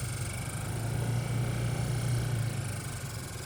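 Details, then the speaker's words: 2003–2006 Honda Element heater blower motor with leaves caught inside; steady low fan drone with a rough fluttering rumble; blower motor debris noise. "either it's inoperable or it's making sounds like there are leaves down in it or a card or a bow or a screw or anything bugs who knows maybe a rat Nest you never know but it's making noise"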